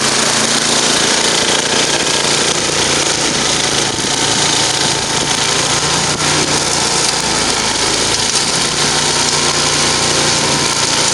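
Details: Murray 10 HP 29-inch snow blower after rebuild, performance test: high steady buzz with no misses, surging or knocks; normal running.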